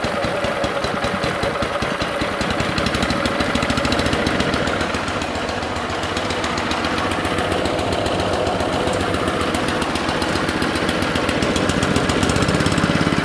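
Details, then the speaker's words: Alkota 3205-2T hot water pressure washer, sat for years with crusty, part-full fuel tank, first run: small petrol engine runs at steady speed with an even beat, no knocking or misfire, sounds good; pump pulsing and leaking noted. "that sounds pretty good i better get that fixed because i see it kind of pulsing here"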